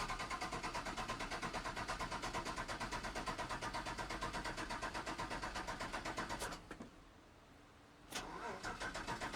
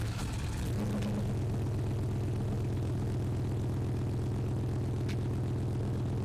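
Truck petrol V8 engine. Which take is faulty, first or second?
first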